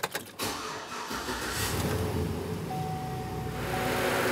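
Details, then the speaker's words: P0118 coolant temperature sensor circuit high-input fault, before repair: right after start the cooling fan comes on and runs at high, a steady loud rush over the engine, though the engine is not at operating temperature. "El síntoma que este vehículo exhibe, tan pronto como usted lo enciende, el ventilador de enfriamiento se enciende y va a alto."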